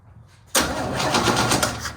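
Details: 1969 Chevy C10 inline six, sat about nine months: steady rapid cranking with even compression pulses but no firing, after new coil, condenser, cap and rotor; still no spark, points suspected.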